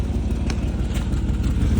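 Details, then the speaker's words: 2000 Chevy Tahoe Z71 4x4, 188,000 miles, check engine light on, heard from underneath near the catalytic converter: a steady low idle with a faint puffing tick on each pulse. Exhaust leak confirmed at that spot by grass moving in the escaping gas. "I want to see it's like it's it got air leaking inside of it so we about to check it out I want y'all to hear how it sound"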